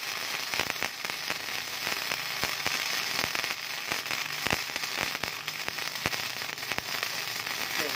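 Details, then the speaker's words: Mini MIG/stick welder running gasless MIG on 3 mm steel at moderate setting (owner says more power would burn through): steady frying crackle with scattered sharp pops; bead looks very good, normal arc. "Quá đẹp, mic không dùng khí nha. Hàng rất là đẹp."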